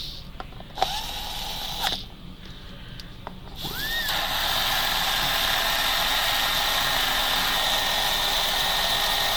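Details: Electric slot car after pinion replacement and top-plate tightening, motor run: handling knocks then a steady high whine with raspy scrubbing hiss; the rear tire was rubbing on the body post.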